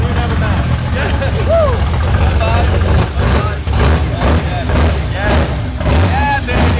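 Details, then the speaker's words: Engine-swapped BMW at first start-up after low battery voltage was fixed: loud throaty exhaust rumbling at a steady idle, sounding like a V8, with voices cheering; no ticking or stumble, idles great. "Thing sounds like a V8 right now. Hell yeah."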